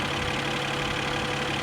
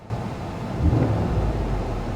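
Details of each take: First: 2020 Mercedes-Benz E53 AMG 4Matic+ inline six (not a V8) idling: smooth, steady low hum, no knocking or stumbling; sounds unusual to the speaker but healthy. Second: Mercedes SL600 V12 twin-turbo, about 500 hp, at a dealer auction, inside the car: a quick throttle blip brings a loose, uneven rattle over the engine's rise and fall; something loose, cause unknown, not a misfire.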